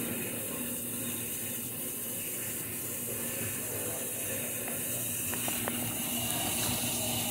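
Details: GE Adora washing machine fill stage: steady even hiss and rush of water flowing in, with no knocks or grinding; normal water fill.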